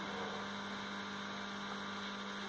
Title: Amplifier Humming Sound Identify & Rectify || 5.1 Amplifier || Newtechnify